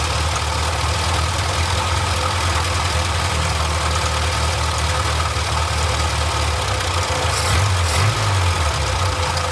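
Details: Austin-Healey Sprite barn find after fitting a new fuel pump in place of the leaking 60-year-old one: steady, even idle with a smooth low rumble and no misses, knocks or surging; running normally.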